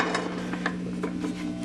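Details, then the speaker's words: Antique radio-phonograph turntable being tested before rebuild, with amp hum audible: dry scraping, rubbing chatter from the turning platter. Owner suspects it needs cleanup and lubrication, but the mechanism works. "You can tell by the sound, it probably needs some kind of cleanup and lubrication. But it is working, which is a very good"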